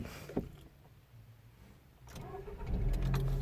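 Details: 2009 Toyota Yaris after cleaning dirty battery terminals that had caused a no-start clicking: brief crank, then the engine catches cleanly and settles into a steady low idle.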